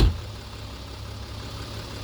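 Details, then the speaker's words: Mercedes-Benz 3 L diesel (like Sprinter vans), dealers twice said engine needs replacing over a rattle; key-on start after glow plug light, brief start surge then even low idle, no rattle or knock; normal idle. "sounds like a 3 l diesel engine like it's supposed to like it's in the Sprinter vans"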